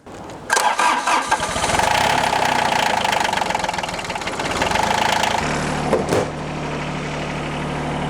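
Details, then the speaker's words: John Deere 755 tractor with hydraulic leaf-vac collection system, cold mid-November day, after repairs including a soldered fix: cranks, catches quickly and settles into a steady, even idle; normal running. "hey all right so so oh yeah it's working"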